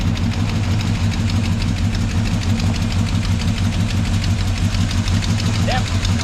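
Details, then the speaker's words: Chevrolet Monte Carlo engine idling with quick even valve train ticking over the rumble; noise traced to a lobe, valve lash incorrect and being adjusted with the engine hot. "well you had a little uh knock in here on a lobe oh yeah that'll cause a problem so there's where the noise was coming from so we're going to tickle these a little bit"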